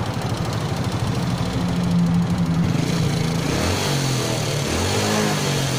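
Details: Motorcycle idling lumpily with a loose, uneven clatter riding on each beat; piston slap or rattle inside the engine is suspected, not confirmed.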